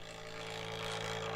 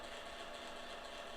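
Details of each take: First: Kodak Advantix Film Drive FD300 APS film scanner, microphone moved close to the machine: steady low motor drone with a soft even whir, no knocks or catches; normal scanning operation. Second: Kodak Advantix FD300 APS film drive loading film: steady high-pitched mechanical buzz with fine rapid rattle, no pauses, during film transport; unit works though noises sound wrong; cause not identified.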